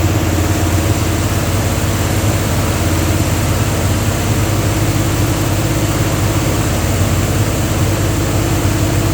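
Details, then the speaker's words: Dodge 360 Mopar LA V8 truck with Holley double-pumper carb, idle raised: deep, uneven, lumpy V8 idle with no clean rhythm, won't idle below about 1,500 rpm; owner suspects vacuum leak at intake or carb gasket, unconfirmed. "doesn't want to idle. You get down 1,500 or so and it won't idle."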